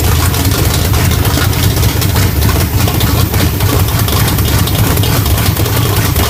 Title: Rough idle sbc 350 whit Thumper hyd roller cam